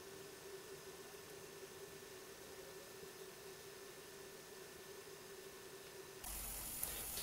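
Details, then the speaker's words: Coleco Adam data drive running smoothly while verifying and initializing a tape, after cleaning the head and oiling the index wheel to cure an earlier squeal; faint steady low hum, no squeal or hesitation; the oil made it much quieter. "listen how quiet this drive is the little bit of oil made that much of a difference"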